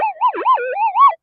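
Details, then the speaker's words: Minelab metal detector with huge 175-inch coil, during nearby electrical storms: wavering warbling tone rising and falling about a second then cutting out; coil lost noise cancellation after being flipped and went back to chattering noise. "it's all gone back to um noise now"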